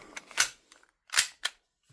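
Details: WE Big Bird airsoft gas blowback pistol after replacing a cracked nozzle, running on propane with little gas: sharp crisp cracks each followed by a quick mechanical snap, about three shots in two seconds; slide cycling properly.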